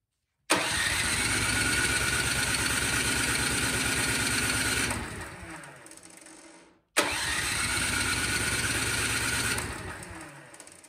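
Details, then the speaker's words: Toro Powermax snowblower, no-start: it had run a few seconds then died. Here, on choke, two pulls give about four seconds of rough running that fades and dies while fuel leaks from the carburetor bowl seal; the crankcase also has too much oil. "so up at this point it's gotta be something carburetor related um when i prime it you see gas is coming out which it will do um but not that much"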